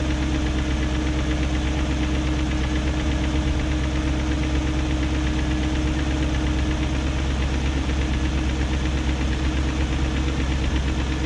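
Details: 2001 BMW E38 740i V8 idling after new timing chain, guides, tensioner and VANOS profile gaskets: smooth even idle with light quick tick at steady revs; no codes; owner suspects VANOS unit, cause unconfirmed.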